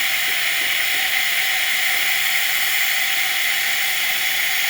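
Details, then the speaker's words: Espresso machine after shop service (steamer previously reported not working), steam test with water in the milk carafe: strong even hissing steam with no sputter or gurgle from the frother spout; normal steam flow after repair. "But since water can't do that, we're really just testing to see if steam comes out through the spout."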